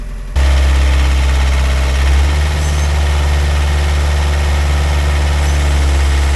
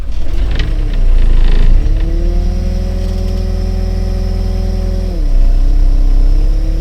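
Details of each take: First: Pel Job LS2000 excavator after the Rexroth A10VO28 pump repair, standby pressure set to 30: steady low diesel drone with a constant hydraulic hum and a slight load change midway. Normal running. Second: Pel Job LS2000 excavator with a Rexroth A10VO28 variable pump, a port plugged so only the valve body feeds it: diesel settles, then pitch sags and drags down around five seconds. Engine is labouring under hydraulic pump load; the fix failed.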